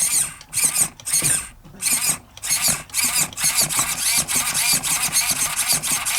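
Quick bursts of high-pitched whirring, about two a second, as the servo sweeps back and forth; clean, with no grinding or stalling, so it's healthy.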